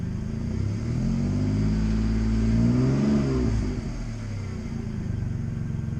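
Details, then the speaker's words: Audi A4 after coil pack replacement, with a failing power steering pump: engine revs smoothly and settles back to an even idle with no misfire stumble; sounds a little smoother than before. "Not bad. Actually, it does kind of feel and sound a little smoother."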